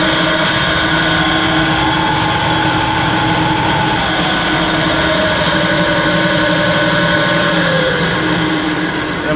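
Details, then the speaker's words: 20" Clausing three-phase drill press (phase converter running in background), upper spindle area: steady hum with a high whir that gets very noisy in high range and shifts as speed changes. Suspected bad upper bearing. "yeah I'm pretty sure the noise is coming from right there and if I go into high that's really noisy now"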